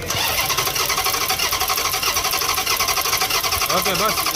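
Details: 2021 Dodge Challenger, misfiring: loud engine with an uneven, lumpy pulse in the exhaust note, stumbling about once or twice a second, a misfiring cylinder.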